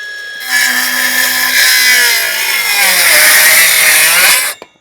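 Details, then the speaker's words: New Milwaukee M12 Fuel 5-inch cordless circular saw in thick stock: high whine sags steadily in pitch, slowing as the blade binds; bogging, lacks power for this material. "now is this not meant for this nah it's definitely not meant for this you can hear it bogging down it just doesn't have the O that you"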